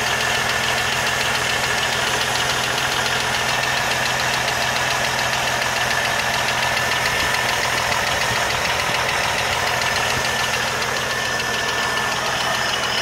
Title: 1980 CJ7 ticking noise part 2